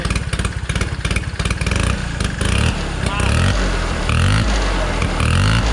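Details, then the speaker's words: 1969 Polaris Colt 303 Wankel rotary snowmobile, revived after years sitting, running after carburetor fuel adjustment; choppy uneven firing then note suddenly smooths and rises as it warms, a mouse nest blew out, cause of change unclear. "Because you hear the note change."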